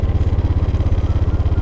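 A quick, even putter of about fourteen pulses a second that stays steady: the scooter engine idles smoothly after starting.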